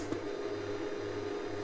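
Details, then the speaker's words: Gaelco Thunder Hoop JAMMA arcade board that won't boot, first power-up test: steady whistle from the audio circuit over low hum and power-supply fan noise; op-amp later replaced. "On entend tout de suite un sifflement en provenance du circuit audio."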